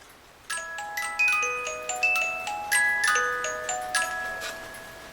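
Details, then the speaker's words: 8-day Black Forest cuckoo clock with auto night shutoff, cleaned and oiled: bright, even music-box tune with ringing bell strikes, no dragging or hesitation; normal music box and bell operation. "Now the music should play as needed."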